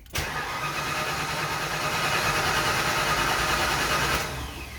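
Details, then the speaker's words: Mustang engine first start attempt, intake reinstalled: steady cranking churn about four seconds, never catches into running; cranks but no start, cause still to be troubleshot. "unfortunately that's a fail for us right now guys but it's okay I'm gonna go troubleshoot this I'll be back"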